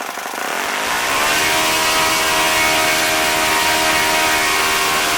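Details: OS FS-40 Surpass glow four-stroke, first run after rebuild with new bearings, new Enya No. 3 glow plug, 11x6 APC prop: catches, climbs quickly to a steady high buzz and holds evenly; runs clean, owner reports about 9,400–9,500 rpm. Normal running.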